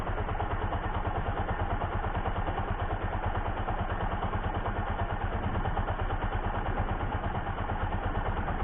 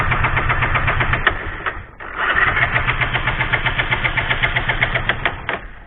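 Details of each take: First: Bajaj Pulsar 135 (S135) motorcycle with a total no-start or lost-ignition problem, now started and idling. Small single putters at an even, steady beat with no stumbles or dropouts: a healthy idle. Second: Bajaj Pulsar 135 with lost ignition, no spark; fuel checked fine. The starter whirs with steady cranking pulses at about four a second, pauses, then cranks again but never catches. Cranks, no start.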